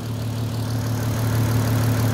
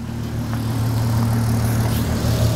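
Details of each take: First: VW Golf R32 cold after sitting: steady, even low idle hum with no knocks or rattles; sounds fine, though owner wonders whether oil too thick and sludgy might make it rattle once warm; normal cold idle. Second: VW Golf R32 on first start after sitting, fuel tank bone dry and refilled, oil filter empty, ignition lights flickering: low cold idle with a faint irregular beat under the steady hum; lumpy idle.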